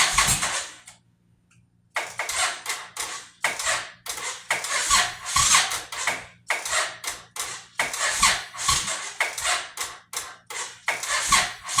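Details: 2005 Suzuki Boulevard S83 motorcycle that sat 4–5 years with a rusty gas tank, a weak battery or bad connection, and a leaking fuel line. Rapid chuffing cranking bursts, about four a second, but it never fires. Cause not confirmed.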